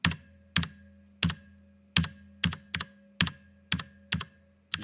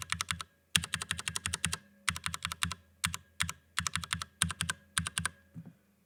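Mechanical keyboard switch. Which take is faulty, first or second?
first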